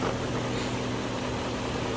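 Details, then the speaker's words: 1998 BMW V8 at warm idle after PCV valve replacement, even and smooth with a steady low hum, no whistle or hiss, and no pressure when the oil cap is removed. "está eh Como pueden notar el vehículo hasta está más parejito ahora con la temperatura ya en condiciones o en su temperatura normal de trabajo"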